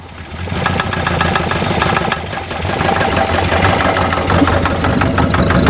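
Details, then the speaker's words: Barn-find Jaguar/Daimler Mk2 hemi-style 2.5 litre V8, previously seized, running on fuel poured in: rough running with irregular sharp knocks about three a second; suspected seized gudgeon pin or piston knocking in bores, unconfirmed. "Yeah, but still, that's a knock. But see, that could be a seized gudgeon pin as well. So the piston's knocking, going up and down the bores."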